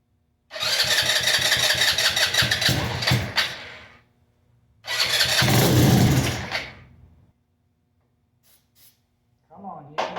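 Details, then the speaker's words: Custom Icebear Maddog scooter with 171 big bore kit, upgraded clutch/variator and custom Coffman exhaust, first start after long sitting, carb refitted, starting fluid used; catches in rough sputtering bursts, not revving right, air filter off (suspected). "yeah she doesn't want to rib right because we don't have the air filter on there but he's running"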